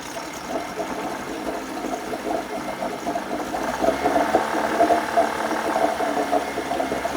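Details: 1980 Chrysler Sea King 15 hp two-stroke outboard, cold, in test tank after replacing ignition coil with a lawnmower-type coil: steady even buzz, responsive with no hesitation; previous quarter-to-three-quarter throttle misfire appears fixed.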